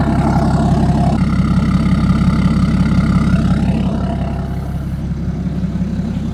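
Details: BMW E60 535d M57D30 286 HP diesel: even steady clatter about three pulses a second, no misfire or knock, cold idle. Normal idle.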